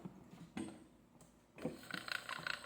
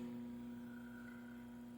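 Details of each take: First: Electric fan motor running, rhythmic squeaky chirping about three a second; stiff shaft previously oiled, fault suspected in the shafting rod or worn bushing, later fixed by replacing shaft, bushing and stator. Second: Electric fan after its shafting rod, bushing, stator and spacers were replaced: a steady, quiet motor hum with a clean low tone, the earlier noise and rattling gone.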